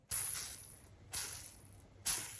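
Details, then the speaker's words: Old, loose steel skateboard bearing spun by hand three times: a hissy, whooshing whir with a thin ring that fades quickly. A good bearing should be tight and quiet, so this one is worn. "นี้ก็ลูกปืนเก่านะได้ยินเสียงหวูดอื้ออื้อคืออันนี้หลวมครับไม่แน่น"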